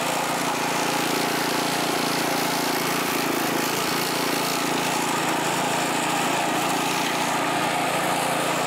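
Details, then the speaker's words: California Trimmer reel mower, small engine, reel cutting dead grass after repair and carburetor fine-tuned an eighth to a quarter turn to stop surging; steady even drone, no surging or hunting; running smoothly under load. "But it's running really good now. Here's a little bit of mowing with it, even though the grass is all dead."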